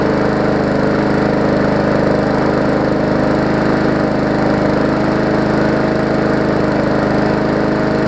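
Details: Murray 3.5hp Classic push mower after service, new spark plug and toggle kill switch, primed and started: steady, even single-cylinder chug at constant speed without surging or misfiring; running properly.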